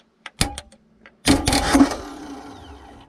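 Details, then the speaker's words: Mercruiser boat engine starter solenoid bypassed by bridging the posts with metal: sharp clicks, then starter whirs freely about two seconds and winds down, so starter works and the solenoid is faulty. "all right so you could see that uh we obviously have a problem with our solenoid so let's go ahead and take that off"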